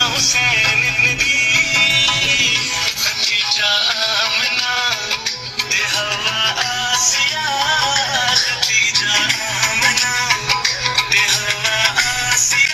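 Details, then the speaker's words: Infinix Hot 10 Play phone after repair: ringer replaced, original speaker fitted and dirt cleared from the blocked sound holes. Music plays loud and clear with crisp highs and no rattle or buzz; normal loudspeaker output. "ज़बरदस्त आवाज़ आ रही है, बिल्कुल original. तो इसका ringer भी मैंने change कर दिया है।"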